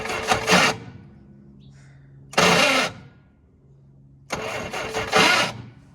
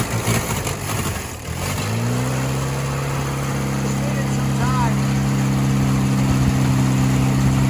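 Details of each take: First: 1966 Jeep CJ5 farm-auction car, not on the road for decades, after fuel pump work; starter condition uncertain, spark questioned, starting fluid next. Three separate one-second cranking bursts with no firing; cranks but won't start, cause unconfirmed. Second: 1966 Jeep CJ5 from a farm auction, off the road for decades, started on the key after a clutch linkage fix, starter condition uncertain: after a rough catch it settles into a smooth, even, steady idle with no misses or knocks; normal idle.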